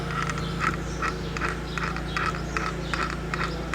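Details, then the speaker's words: Oil pump turned by hand: irregular clicking knocks two or three per second; the noise occurred cold but not hot. "a gente conseguiu detectar aquela bomba de óleo que estava com um barulho"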